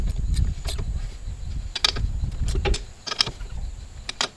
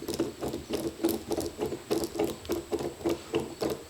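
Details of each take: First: Cub Cadet M550 Challenger UTV test drive after replacing the failed left rear inner wheel bearing and seals: loose body clatter and rattles over bumps, but the former loud intermittent grinding is gone; bearing now quiet, problem solved. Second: Cub Cadet M550 Challenger UTV hub turned by hand, rough rhythmic rasping about three times a second, sounding terrible; intermittent noise first blamed on the CV axle was a disintegrated inner wheel bearing, later replaced.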